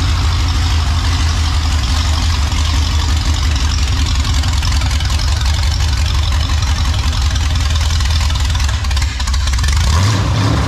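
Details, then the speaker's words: Ford 302 V8 idling smoothly with a deep, steady low rumble and even beat, no shudder or knock, after refitting the bellhousing and starter to cure a bellhousing vibration blamed on a cheap flywheel; shaking gone, though antifreeze is now leaking. "i'll figure it out at least i said at least the shaking is gone"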